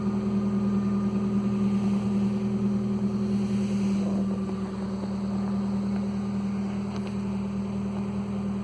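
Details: 2015 Nissan Versa engine startup, loud droning throaty rumble at idle from an exhaust leak underneath; exhaust pipe rotted away just after the muffler flange connection and needs replacing.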